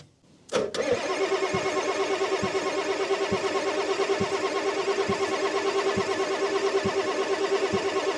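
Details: 1989 Ford F250, 7.3L IDI diesel, sat 6 years, after bleeding at the filter bleed screw: steady cranking at about three compressions a second that never catches. Fuel is not reaching the injectors, so the next step is cracking the injector lines.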